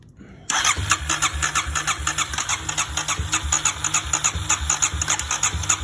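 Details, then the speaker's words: 2009 Kawasaki KLX250S, previously non-running, after carbs were cleaned and fresh fuel added: catches right away, settles into an even single-cylinder thump with light throttle blips; clean, healthy start and idle, a small leak stopped once running. "We've got her running. We cleaned the carbs out, put a fresh tank of gas in. Pretty much just started right up."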